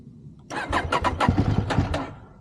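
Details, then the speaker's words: KTM 790 Adventure with a full tank and Redex added: about 1.5 s of rhythmic cranking, roughly five pulses a second, that never catches; it usually needs two to four attempts unless warm. Cause not yet found, hard starting. "So, obviously it start sometime three time, sometime four time, sometime even two time. But never one time unless it's warm."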